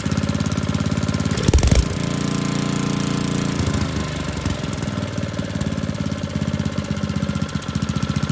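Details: Old Tecumseh four-stroke edger engine pops hard at first, then settles into a fairly even chug with slight unsteadiness; normal running after carburetor adjustment.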